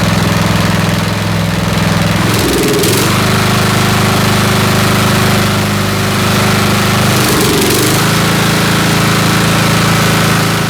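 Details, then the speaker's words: Snapper SR-Series 10HP Briggs & Stratton single, stored 10 years, on an aftermarket Amazon carburetor still being tuned: runs steadily but stumbles twice, an intermittent misfire, though running a little better. "all right getting a little bit better are you missing over there it's not backfiring from here i heard it missing over there so"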